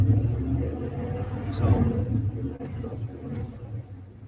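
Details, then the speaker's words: Petrol engine with a vacuum leak audible at times: low uneven idle that sags as revs drop, not misfiring, idling so slow it nearly stalls. "and as it starts to drop down not really missing just running real idling so slow it wants to stall"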